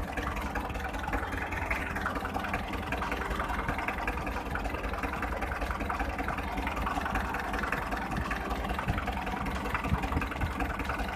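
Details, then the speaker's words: Hyundai 1.25-ton truck diesel, shaking and smoking after a sudden clack while driving: uneven lumpy idle with a missing beat; cylinder 3 dead while 1 and 4 fire. "Máy 3 không nổ. Máy 4 nổ bình thường."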